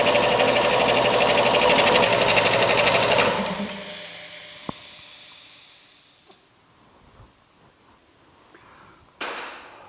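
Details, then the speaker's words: Eaton / Ingersoll Rand air compressor retrofit with upgraded 7.5 hp motor starter, pressure switch adjusted: pump chugs evenly about three beats a second, cuts out at about 125–130 psi with short unloading hiss, cuts in at 100; working properly. "success it cuts out now at around 125 130 it cuts in at 100 all as well it's great"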